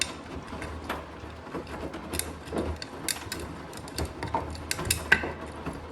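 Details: Blomberg washing machine, knocking returned: over the drum hum, loud uneven knocks arrive every half second or so, like something striking as the drum turns, loudest on spin.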